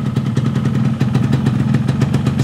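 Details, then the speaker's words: Yamaha RX King two-stroke on first test run after fitting an aftermarket Nagoya cylinder block and piston kit, extra premix oil: steady, even burble with regular exhaust pulses, no knocks or rattles; sounds normal as usual, no strange noises. "suaranya Masih normal ya kayak biasanya enggak ada terdengar suara-suara aneh Masih normal"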